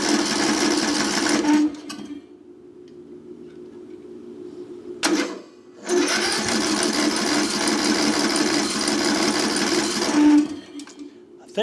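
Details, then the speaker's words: Craftsman LT1000 riding mower left sitting outside roughly five to ten years, cranked at full throttle with auto choke; two long four-to-five-second steady whirring cranks with no firing, fuel blocked at the carburetor. "what I'm going to do is go ahead and take this carburetor off and then just stick my fuel in here and bypass that carburetor we'll see what happens"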